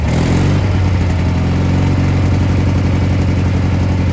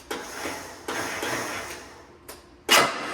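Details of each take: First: Gravely G-16 tractor, roughly late-80s/90s, not run in a few years, on its own tank fuel, driving: steady even low thrum holding speed, no knocks or misses; runs pretty good, smokes a little. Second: Gravely G-16 tractor, roughly late-80s/90s, not run in a few years, after fixing a wire and spraying brake clean in the carburetor: a few sharp uneven clicks with no cranking; relay sounds a little sticky but popped off.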